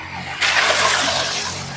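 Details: Modified Jet 450 water pump, 300 W, 2-inch PVC inlet/outlet, test run: quiet hum, then the motor kicks in at once and a steady, even rush of water follows with no knock or rattle; healthy.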